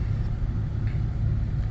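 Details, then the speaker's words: Warm engine after about two miles of driving, with no warning lights: deep smooth rumble with no misses, knocks or ticks; it runs evenly and sounds healthy. "warm and it just runs like a top"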